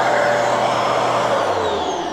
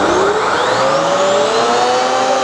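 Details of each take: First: Genesis upright vacuum running with inlet blocked: steady motor roar with thin high whistle as the rear safety relief valve draws in air to protect the motor; normal valve action. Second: Genesis upright vacuum, normal running: a strong, steady motor whine rises and dips smoothly as the head is pushed and pulled, with no rattles or grinding. Its brush roll is air-driven by suction and spins fast.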